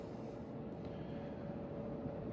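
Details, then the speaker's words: 1981 Hunter Original 52-inch ceiling fan, model 22372, on high at about 195 RPM: steady mid-pitched harmonic hum over blade whoosh; motor noticeably noisier on high than expected. "Motor is definitely quite noisier on high here. Making a harmonic sound to it."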